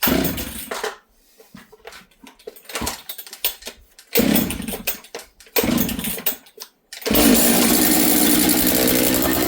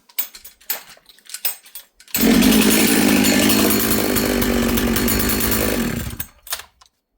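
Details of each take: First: Husqvarna 66 chainsaw, bench run after assembly, first start when dry, broken stop switch: sputtering bursts then a high, thin steady buzz idling too fast and slow to return to idle; running lean, attributed to air density. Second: Husqvarna 66 chainsaw after assembly, bench run in shop, low jet tuned: crisp steady high rev about four seconds, no surging or stumbling; healthy, no leaks, good tight saw.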